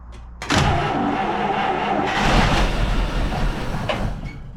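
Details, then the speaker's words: 1949 Buick Roadmaster hearse that sat over six years, fresh fuel primed down the intake with no gas yet reaching the carburetor from the new tank: engine cranks, catches in a short ragged burst, then dies; fuel starvation, running only on prime. "There's no gas up to the carburetor yet from that new tank. That's why we had to prime it."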